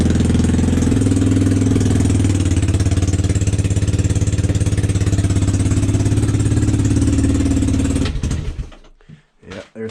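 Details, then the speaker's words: 1986 Yamaha Moto4 YFM200DX ATV, started at 10°F before the fuel drain: an uneven single-cylinder idle that wavers, stumbles and dies. Owner suspects bad, stale gas; the fuel is then drained and the carb cleaned. "yeah that's stumbling going on really think that's bad gas"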